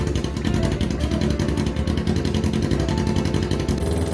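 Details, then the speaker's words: Kawasaki Ninja 250 engine in a homemade go-cart, warmed up, on the original exhaust before the new muffler is fitted: harsh, raspy, high-pitched bark on throttle blips, loud enough to make ears ring. "The exhaust noise was high-pitched and actually made my ears ring. I'm pretty sure the neighbors didn't like it either."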